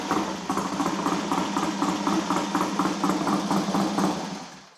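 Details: Triumph twin motorcycle in the workshop, gearbox checked fine: ticks over with an uneven, slightly lumpy beat around three pulses a second, then dies; uneven running, carbs need setting up.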